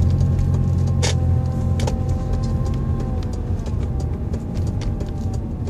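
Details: 2004 Mazda 6, 5-speed automatic, about 120k miles: thin mid-range whine tracking engine rpm; persists with all belts removed, so belts and their bearings are ruled out; owner suspects the transmission fluid pump.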